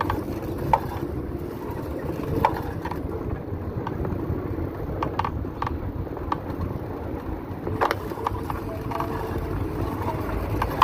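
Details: Bicycle: constant sharp, uneven clicks over a soft rolling hum, repeating as the cranks turn while pedaling; drivetrain clicking, source not yet found.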